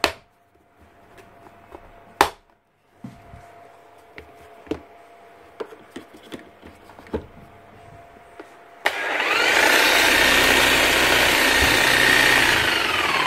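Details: Bosch GHS 11 E hammer after repair with new brushes, lead and bearing and grease topped up; a few handling clicks, then a steady high whirr and even hammering with no grinding or misses; running normally.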